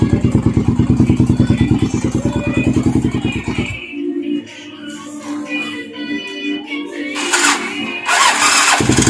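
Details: Yamaha TTR 250 with no charging and no start: steady starter chug at about three beats a second for several seconds, never catching. Cranks but won't start; cause not clear.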